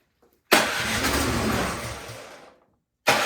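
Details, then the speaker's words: Troy-Bilt snowblower that would not start, gas and oil checked, choked, key in run, primed, electric start: engine catches sharply, runs about two seconds, fades out and is cranked again; firing then dying points to a dirty carburetor. "it is firing um but it's dying so that tells me there's something going on with the carburetor"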